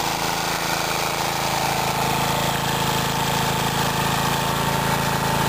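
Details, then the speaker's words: Mid-1950s Clinton 3 hp engine belt-driving a 110 V 60 cycle AC generator powering a light, cold start on one pull: constant smooth drone, steady pitch, no surging or knocking under generator load; normal running. "let's start it up notice how difficult that was only one pole and it's running nice reliable Little"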